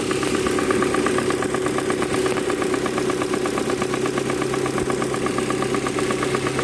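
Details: Proton Campro engine with faulty intake manifold flap (AIFM), fix is manifold adjuster kit replacement; idle with coarse rhythmic rattle about three beats a second; causes power loss and high fuel use.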